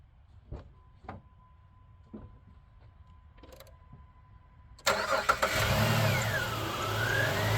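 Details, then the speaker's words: 2006 Jeep Liberty 3.7L V6 after alternator replacement and belt reinstall: the starter catches cleanly and the engine settles into a smooth, quiet idle. The earlier belt-area noise is gone, normal start and idle. "Oh, she's quiet as a church mouse now. I think that'd be her."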